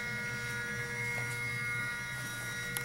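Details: Janome MB4 embroidery machine after replacing its timed-out DC motor and resetting the motor counter: smooth, even motor whir with a steady high hum and no knocks or grinding; runs normally.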